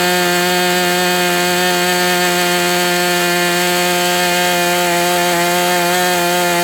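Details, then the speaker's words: MDS 68 FS Pro engine during break-in, 11x8 prop, high-speed needle tweaked another 1/8 turn: smooth steady high buzz at one pitch without misses or surging; runs well, still a touch rich. "Okay, so with this plug and this high-speed needle setting, it still is a little bit rich."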